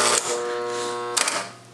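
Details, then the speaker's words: Electromechanical pinball flipper held down, then pushed out of position by hand, opening the end-of-stroke switch and engaging the high-power winding; faint mains buzz swells louder and brighter for about a second, machine lights dim; normal. "so you can hear a slight buzzing when I have the flipper button held down but if I reach and move the flipper out of position the buzzing gets much"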